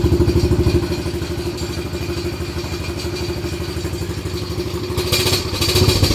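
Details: Daughter's quad with new battery: single-cylinder chugs about three beats a second, uneven and lumpy with rising and falling level, smoking; made this sound last year, owner believes the carb needs cleaning.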